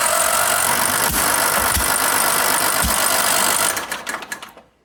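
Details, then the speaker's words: Engine being restarted after sitting cranks with a steady whir and a few dull thumps but never catches despite spark and apparently fuel; strange noises, owner wonders about a connecting rod. "Mystère, mystère. J'ai de l'allumage. Apparemment, j'ai de l'essence. Mais ça va partir. Donc il doit y avoir un autre problème."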